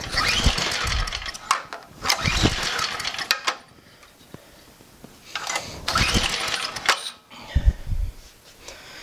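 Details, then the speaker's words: Abandoned MTD snowblower with recoil start, primed, throttle full: single-cylinder fires in short ragged bursts then stalls each time; will not run without choke. Engine dies unless choked. "Sounds like it just dies. It just dies when it will not run without choke."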